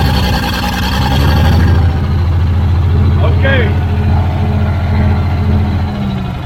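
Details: Old Caterpillar D6 dozer diesel at about half throttle: steady deep rumble at part throttle, even firing, no knocks or misses; runs pretty good, normal running.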